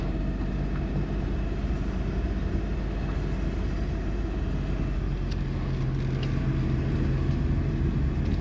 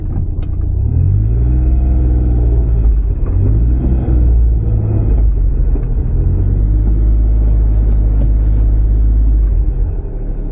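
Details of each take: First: Suzuki Kei Works 4WD test drive after viscous coupling replacement: pulling away gives only smooth low road and engine rumble, no growl; the gogogo drivetrain noise heard before when backing up is gone. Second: Cheap Suzuki kei sport 4WD car (Kei Works): deep pulsing gogogo groan below about 10 km/h on tight full-lock turns either way, swelling and fading; owner suspects the viscous coupling, not confirmed.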